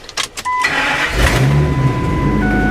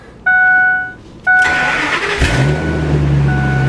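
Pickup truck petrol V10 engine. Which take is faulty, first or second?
second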